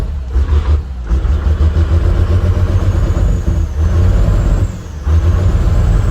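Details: Cummins 6BT 12-valve tow truck at cold idle after piston and head gasket replacement: low uneven clatter with lumpy surging beat and heavy smoke; always does this cold, owner suspects a bad delivery valve, unconfirmed.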